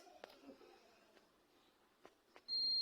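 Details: Microwave switch after repair: faint clicks and handling, then a steady high-pitched continuous beep from the meter; the previously faulty switch, which earlier gave no reading, now shows continuity.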